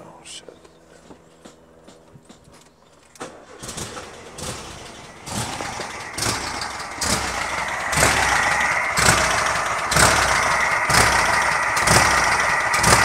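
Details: 1971 VW Super Beetle after a valve adjustment (distributor cap removed, plug wires left on): after the starter, idle comes up lumpy and uneven, about four pulses a second with irregular beats; running rough, cause unknown.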